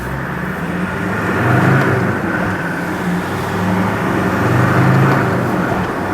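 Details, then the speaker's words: Land Rover Defender 110 diesel project truck on its 220-mile drive home after Forte diesel additive, window and vents open, pulling away at 30, 40, 50: smooth rising drone, earlier high tapping at top of rev range now much quieter; luggage rattles in back; normal acceleration. "That's 30. That's 40. That's 50. I think that's a lot quieter, I really do."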